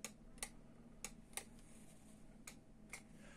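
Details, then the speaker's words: FIF 6285 steam generator iron, base warm so the heater is working: steam button pressed gives only sharp plastic clicks over a low hum, with no valve click from inside, suggesting a steam valve fault. "there is a valve inside i think or in here you can hear the button clicking but usually you can hear inside as well"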